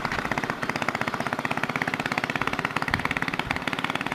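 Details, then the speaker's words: Old worn 2 hp Briggs & Stratton side-valve engine swapped into a Baja Dirt Bug in place of the China engine with a bad crank seal, straight exhaust: quick, crisp, unbroken popping beat, no knocks or misses; runs healthy. "really good with that straight to exhaust yeah she goes"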